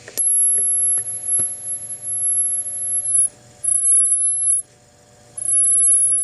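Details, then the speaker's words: Grundig TK 1 portable reel-to-reel recorder amplifier: a piercing squeal in bursts over a faint hum and clicks, worse toward maximum volume during playback, only with one microphone plugged in. It is not microphone feedback. "can adjust the extremity of the squeal by adjusting the volume and the frequency somewhat too not good up towards the maximum volume"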